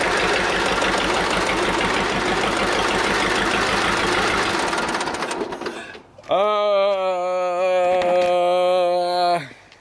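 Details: Old Detroit Diesel two-stroke four-cylinder dozer engine running on only two cylinders (compression 150, 90, 0, 0): harsh lumpy clatter, uneven firing, lacks pull, then dies; two dead cylinders.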